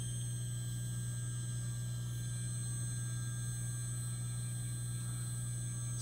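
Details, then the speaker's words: Water-cooled 1,500 W spindle on a 6040 CNC, run on washer fluid and distilled water coolant, readout at 100 giving about 6,000 rpm by laser tachometer: steady, even low hum near 100 Hz with no wavering, knocks or grinding. Normal spindle run. "let's check this out that is so quiet as a nice sound to it and there we are somewhere in t"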